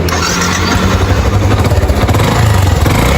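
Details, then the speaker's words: Motorcycle labouring uphill with a pulsing low toc-toc knock under the exhaust; suspected piston skirt slap, with the bike losing power and burning oil; idle noise is attributed to the clutch basket. "Tá parecendo que tá batendo saia de cilindro. Quando sobe o morro, faz um barulho. Toc, toc, toc toc."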